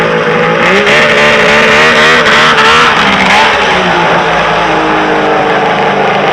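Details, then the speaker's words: Polaris 800 Storm triple two-stroke snowmobile, freshly jetted and clutched: crisp, even exhaust note rising and falling with throttle blips, no misses, knocks or rattles; healthy running. "what's up my triple loving youtube friends god is that awesome to listen to three fingers she sounds pretty freaking crazy"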